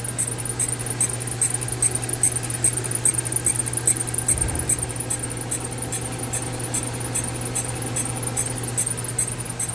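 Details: Mercedes-Benz C300 with no visible body damage, a steady idle hum with a sharp, high chirp repeating about twice a second, a squeak somewhere in the accessory belt drive that the owner says persists.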